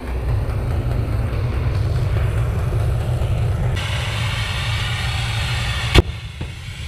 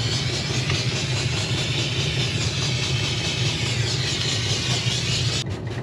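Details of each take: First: Diesel-fired Steam Jenny 200 Plus steam cleaner after clearing a clogged nozzle: burner roar shifts to a hiss, then a sharp bang as the 80 °C fusible plug, only hand-tight and partly melted, blows out. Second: Diesel-fired Steam Jenny 200 Plus steam cleaner after repair, running with soap drip feed: even low burner rumble with soft steady steam hiss, no sputter, consistent burn, no smoke, hot water flowing; normal operation.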